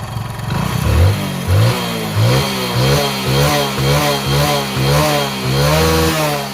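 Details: Hero Passion Pro motorcycle before a full engine rebuild, on self-start with smoke showing: loud single-cylinder beat that surges and sags about every half second, a worn engine running rough.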